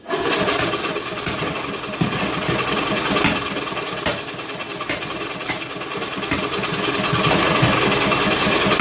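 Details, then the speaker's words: John Deere L100 lawn tractor engine, cranking on choke with valve cover off: irregular sharp pops and coughs through intake and exhaust as it struggles to catch; owner suspects broken flywheel keyway throwing timing off. "Doesn't sound real good, does it? That's craziness. Thought it was like gonna go. It's popping out the intake and exhaust, as if to say the like the keyway is broke or something."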